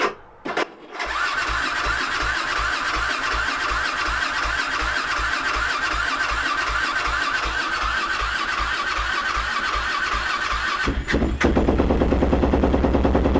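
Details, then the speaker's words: YFZ WR450 478 hybrid single-cylinder, fuel and key on, choke pulled, before carburetor work: slow even cranking chugs about three a second for roughly ten seconds before it catches; hard starting, way too many chugs. "all right so we did get it started way too many chugs"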